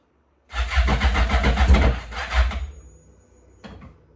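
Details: Yamaha GP1200R converted to a GP1800R, first start after priming, speedo cluster not installed: catches first try and runs loud and raw, unsilenced, for about two seconds, then shuts off. Nothing abnormal; the fuel line was not yet installed.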